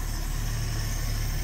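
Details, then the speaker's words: Long-dormant 1972–74 AMC Gremlin inline six, just started: steady, even low rumble with no misses, knocks or ticks, settling into a smooth idle on its own. Normal idle. "oh and naturally there it goes that's ridiculous it's straight up idling can't make this up"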